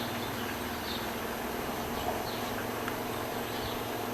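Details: Brastemp BWG11 washing machine filling with water: steady low buzz and hum at the water inlet, apparently from the inlet solenoid valve; the owner had also suspected the control board.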